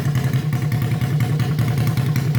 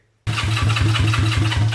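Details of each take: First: Honda CB350 basket-case twin, first start on electric start, no exhaust fitted, carbs not yet tuned; quick, even exhaust pulses with a raw open-pipe bark, no knocks or misses, both cylinders firing. Normal idle and revving. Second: Honda CB350 basket-case twin, first start; catches and runs with a lumpy, loping beat on one cylinder, no spark on the other side. Owner's theory: a tiny wire supplying the coils gives only enough power for one cylinder.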